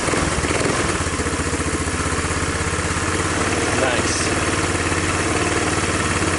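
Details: Tao Tao Bull 150 ATV after replacing the trashed carburetor: catches and settles into a steady, even idle putter with no hunting or stalling; sounds healthy.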